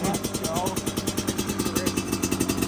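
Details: Freshly rebuilt single-cylinder dirt bike, first start with choke pulled on a cold day after sitting four months: quick, even popping with steady firing, no knocks or misses; runs healthy.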